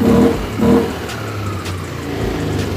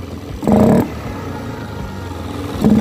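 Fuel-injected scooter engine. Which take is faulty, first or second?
second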